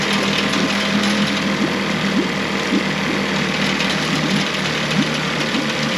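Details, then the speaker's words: Mercury 9.9 four-stroke outboard after a full service (carb kit, water pump, NGK plugs, fuel filter, 10W-30 oil) starts on the first pull and holds an even, steady idle over splashing water while pumping water well. "so they had to start on the first pool and pumping water perfectly so what we're going to do is just run it for a couple minutes see if it stalls out or anything"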